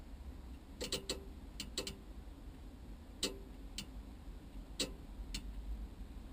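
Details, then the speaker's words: 1979 Volkswagen Type 2, ignition on, newly wired relays for alarm and heated front screen fused behind radio: sharp dry clicks, about nine in six seconds, uneven, over quiet hum; both relays clicking normally, screen warms. "You can hear both relays clicking. That's on now."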